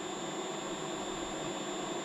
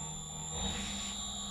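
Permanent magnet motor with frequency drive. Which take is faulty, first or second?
second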